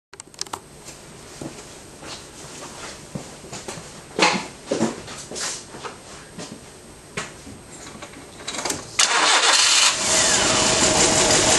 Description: My '96 1.4 nissan almera with a bad misfire